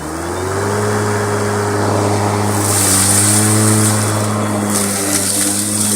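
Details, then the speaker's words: Motor of a 36V 2600mAh cordless lawnmower cutting long grass: steady hum with high whine that dips briefly as the blade bites, then recovers; normal running under load. "And now I'll try and capture the sound of the motor straining a bit on this section of long grass here."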